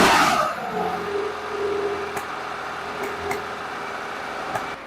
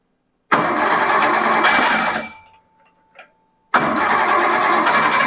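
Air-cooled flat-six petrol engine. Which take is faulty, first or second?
first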